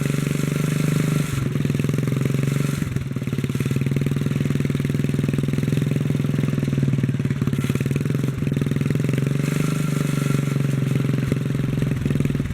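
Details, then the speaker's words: 1957 Bolens garden tractor engine, governor suspected not working: holds a steady fast run and won't drop to idle when throttled down, though pushing back the carburetor lever slows it; engine won't idle down. "even if i throttle down it don't get to idle but i can push back on the carburetor lever here"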